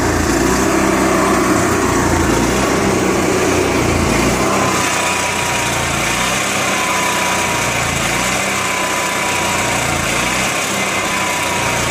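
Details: Onan MicroQuiet 4000 generator idles rough, pitch surging about three times a second; carb cleaned, new air filter, fuel pump has constant flow, spark plug almost new.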